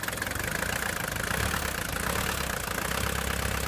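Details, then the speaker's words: 1976 Mercedes-Benz 240D W115 diesel, first start after sitting three or four years: even, steady diesel clatter with a smooth regular pulse and no misses or knocks; healthy idle. "wow listen to this that sounds really good I think the engine is really good"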